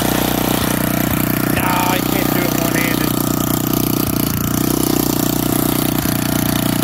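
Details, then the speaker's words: Old auction-bought Montgomery Ward tiller in neutral, just started and judged to need no choke: the small single-cylinder holds a steady buzzing idle without surging or missing. Running smoothly. "all right one neutral I just started it so I don't think it needs any choke"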